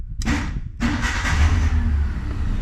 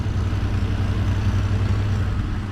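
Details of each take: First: Petrol Ford (XL manual) hot-wired with vice grips and a screwdriver: a brief crank, then it catches immediately and runs steadily and healthily; there is a slight exhaust leak underneath. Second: Car idling after a screwdriver-and-vice-grips start, steady deep rumble with faint rough puffing from a small exhaust leak somewhere underneath; leak suspected, exact spot not found.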